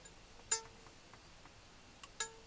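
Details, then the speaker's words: Treble reed from a 70-year-old Hohner Verdi 1 accordion after ultrasonic cleaning, flicked by hand: each flick rings a clear, steady tone that fades cleanly, showing the reed is clean and vibrating freely. "it's got a really nice clean kind of ring to it which is nice and it kind of it's really nice to hear that cuz that's kind of sound of the read being nice and clean and vibrating really nicely"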